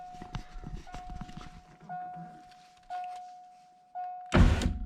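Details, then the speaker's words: Ford Thunderbird driver's side power window after replacing worn window motor assembly bushings with Supercoupe Performance kit and regreasing: smooth even motor hum in short runs, each ending in solid thunk; fast, working properly. "Nice. That's a fast window. Perfect."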